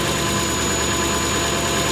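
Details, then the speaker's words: V8-swapped Ford Capri at idle with a big exhaust leak blowing at the back and side of the 'pump' (as stated). A constant breathy hiss and puffing rides over the engine note. Smaller leaks are also known; a new exhaust is planned. "is blowing out there. The side of that pump as well."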